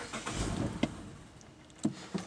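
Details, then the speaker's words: 2014 Mazda CX-5 that starts then stalls, staying barely alive when the gas is feathered, with a pedal position sensor code stored. The engine note sags and dies under light throttle, then only clunks remain; stalling. "so we're gonna go ahead and start the car and reenact the issue and just like that it will die"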